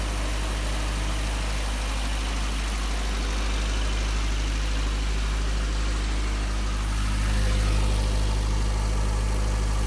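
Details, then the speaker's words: Isuzu Rodeo 4ZE1 four-cylinder after top-end rebuild (new head), compression not yet checked: deep steady low drone with even pulse, slight lift near end; smooth idle on all four, slight misfire owner believes is timing. "she is running on all four cylinders and we have to check the compression but my god does it sound good there is a little bit fire and i believe that's the timing"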